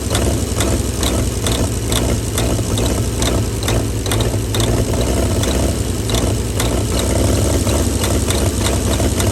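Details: 1937 Chevy truck six, abandoned about 45 years, low somewhat uneven rumble with light sputters yet running on its own on ether/starting fluid; carburetor froze up from the ether, but it's a runner.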